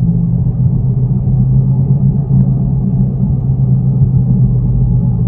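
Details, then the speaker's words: Toyota Yaris on a road test without a jack: a deep, steady droning hum from the rear while driving, with no knocks; worn rear wheel bearing suspected. "Nah, ini kerasa banget bunyi nguk itu dari belakang. Kemungkinan ini bearingnya"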